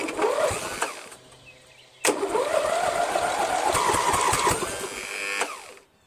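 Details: Toro Wheelhorse lawn tractor after starter motor replacement, 12.7 V battery: quick crank catches, even run then shutoff; normal start and run.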